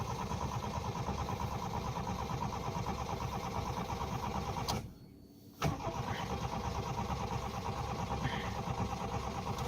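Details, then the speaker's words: Toyota Tercel, possibly flooded: starter cranks steadily at about three beats a second, pauses, cranks again, but the engine never catches; crank no-start, fuel pump only heard when key held at start. "Ben, tantôt, il voulait partir quand je le lâchais, là, il veut même pas."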